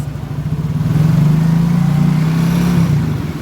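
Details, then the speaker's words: Yamaha Soul GT scooter CVT after repair, the damaged thread re-cut so the nut tightens properly, revved and settling back: even drone, no rattle or scraping; belt drive healthy. "Okay, it's been repaired and tested. Well, here are the results."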